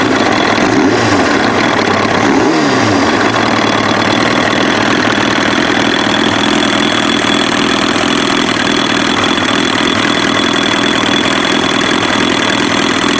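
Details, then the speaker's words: Kawasaki ZX-7R with FCR41 flatslide carbs synced and idle circuit leaned (fuel screws one turn out): steady, stable, clean idle with no hunting, then a quick rev; carbs balanced. "So you can hear how much more stable that sounds, and it's pretty clean. It's pretty clean."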